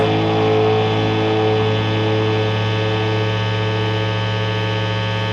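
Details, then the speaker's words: Epiphone Les Paul Special with stock Epiphone P90s through a Fender Hot Rod III Deluxe distorted channel: a sustained note fades and a steady low mains buzz rises and takes over; single-coil P90 pickup hum. "can just hear the buzzing just takes over stick it in the trouble position and again that that P's just going to take right over"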